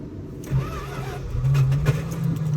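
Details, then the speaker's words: Old farm truck in sub-zero Alaska temperatures, started with a little gas poured in as a trick: cranks briefly, catches and settles into a steady even low rumble; healthy cold start. "oh she'll start she'll start she'll start come on baby come on baby oh there she is"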